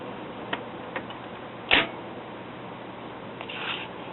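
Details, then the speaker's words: BSR record changer from a Realistic Clarinette 91 stereo: a few sharp mechanical clicks as the tone arm reaches the record's end and the changer trips off; normal auto-shutoff. "that and whenever the tone arm gets to the end of the [Music] record it shuts off just like it"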